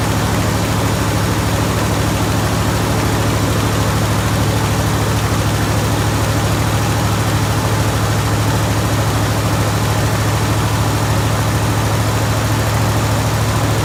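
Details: Jeep Grand Wagoneer idling just after fitting a new 94-amp alternator, with a dirty air filter still in. Deep, steady rumble with even firing and no knocks or misses; sounds healthy and smooth.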